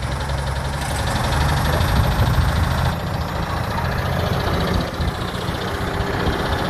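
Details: Truck started by jumping at the starter, on a cold day, trying to run enough to drive onto a trailer: rough idle with a loose, uneven tapping about four times a second under the rumble; an engine knock.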